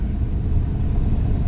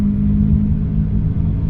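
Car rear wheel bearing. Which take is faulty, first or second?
second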